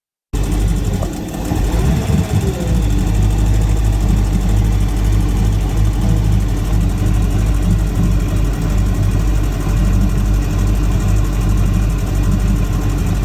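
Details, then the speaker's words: 2005 Malibu boat, Indmar Monsoon 340 small-block Chevy with MEFI-4 ECU, after setting 10° base timing and removing the jumper: idle drops from about 1,200 toward 750 rpm, stutters near stalling, then surges back high; hunting, cause unclear. "it would idle down and then it would stutter and then it would almost stall and then it would recover and it would recover at like a extremely high."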